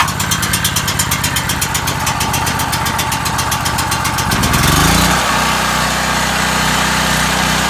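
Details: New Powerhorse 4000 generator on its first start, choke used: fast, even chugging as it cranks, then it catches, surges once and settles into a steady, even hum; it sounds healthy.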